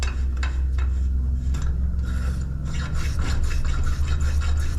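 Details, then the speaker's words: 1930 Sears model 4603 (Akron model 107) pressure lantern, pump leather re-packed, cap back on: steady rasping pump strokes about three a second with no hiss back; check valve holding and pump building pressure normally. "It sounds like it's doing its thing, surprisingly enough. The check valve's holding. It's building pressure."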